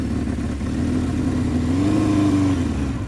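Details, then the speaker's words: 1978 Honda CB550K on first ride in months, choke off; idles fine but revs rise unevenly and stumble under throttle, falling on its face; bogging, owner suspects fuel starvation, possibly debris in the petcock. "see falling on his face that's weird see right there I'm I'm in like it's idling great it's falling on its face"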